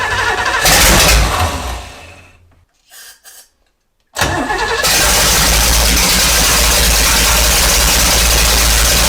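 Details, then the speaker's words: 1970s big-block jet boat engine revived after being full of water, running from a 3-gallon auxiliary tank with valve covers and carb refitted and timing checked: hard crank, brief stall, then it catches into a strong, steady, even roar. Runs healthy. "Jesus Christ. That was fucking violent. Isn't that fun? That runs damn good."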